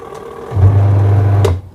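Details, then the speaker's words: Aqua twin-tub washing machine, owner complaint that spin dryer won't turn; wash motor tested first: steady smooth low hum, no knocks or scraping; wash motor runs normally. "Pengering jalan ya, pencuci jalan."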